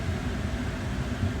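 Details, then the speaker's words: Car heater/AC blower at fourth (high) speed after cleaning the speed selector switch contacts; a new resistor had not fixed the dead third speed. Steady, even airflow rush with a low hum, no rubbing; a normal blower. "so i don't know if you can hear that low speed and that's here second speed if you can hear that change and third speed straight third speed and four speed"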